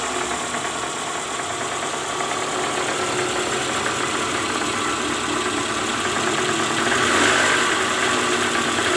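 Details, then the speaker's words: 2009 Toyota Alphard ANH20, 2AZ-FE engine, cold start idling in neutral, heard from below near the oil pan: harsh, uneven rattle about three per second that eases once warm. Balancer shaft worn, loose at gear no. 1. "oke Jadi terdengar bunyi sangat kasar di area mesin walaupun posisi Netral ini langsung muncul bunyi kasar"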